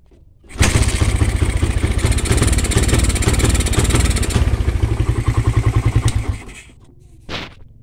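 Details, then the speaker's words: Suzuki Satria FU motorcycle starts but misfires and stumbles, refusing to rev, then dies. This is with a new aftermarket Suzuki Smash regulator/rectifier (kiprok); the original Smash regulator makes it run normally. Faulty regulator is the cause. "enggak mau digas ini padahal kiprok baru"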